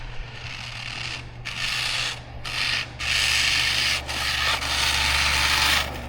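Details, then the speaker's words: Hosim X07/X08 budget 1/10 brushless RC car after 4S bashing: harsh, gritty grinding in uneven bursts as the motor strains and the car won't move; owner suspects the diffs or other drivetrain parts are smoked. "Yeah, that drivetrach's not happy. No, we definitely smoked something."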